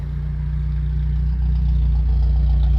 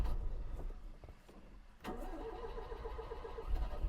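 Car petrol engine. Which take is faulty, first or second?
second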